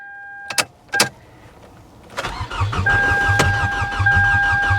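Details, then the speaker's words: C4 Chevrolet Corvette at a salvage auction, powered by a booster pack: a couple of clicks, then strong, even cranking about three turns a second that never catches. It cranks well but won't start; the cause is unknown and thought not major. "yeah i mean she sounds like she cranks pretty good though so whatever is wrong with it as far as why it won't start i don't think it's anything major"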